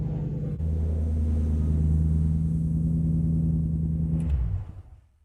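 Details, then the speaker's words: Lexus GS400 with 372,000 miles, after a timing belt job and an oil additive treatment: smooth, even low hum with no ticking or knocking before shutdown. The earlier internal engine noise is gone. "The engine doesn't make any noise at all now. So, I'm telling you it wasn't from the timing system. It was definitely internal engine noise."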